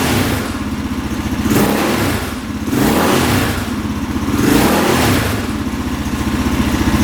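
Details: 2003 KTM SXC 625 Supermoto single, stored and dying right after starting, now warmed up after a carb clean: revs climb cleanly on four quick blips and drop back without bogging; crisp, healthy throttle response, carb clean fixed it.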